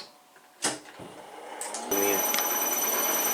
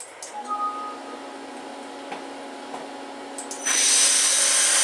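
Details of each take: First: Belt-drive spindle with new extended-quill design on CNC mill, run with no tool engagement; steady whine with light clatter about four per second, quieter at 1500 rpm and under cutting load, bearings staying cool: spindle clatter at no load. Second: CNC mill spindle on new belt-drive motor mount with extended quill, camera inside enclosure: low, quiet steady hum with faint even whine, then a smoother louder hiss; normal running, quieter than the previous gearbox drive.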